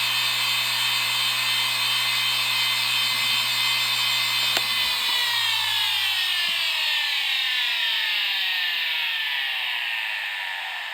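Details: IBM Deskstar 120GXP 123.5GB IC35L120AVVA07-0, 7200 RPM, 3 platters, 6 heads, with bad bearings: harsh piercing high whine at speed, sliding down in pitch on spin-down.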